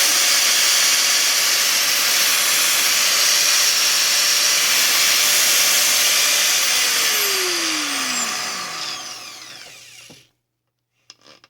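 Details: Angle grinder after repair (disintegrated ball bearing, gears checked intact and remeshed): smooth high-pitched motor whir holding even speed, then clean falling spin-down to stop; no rumble or grinding, so the grinder sounds healthy.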